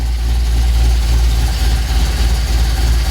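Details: 1967 Mercury F250 drag truck V8 after cap and plug wires refitted, timing about 9 degrees with vacuum advance disconnected; deep, steady burble with even firing beat, no knocks or misses; healthy idle.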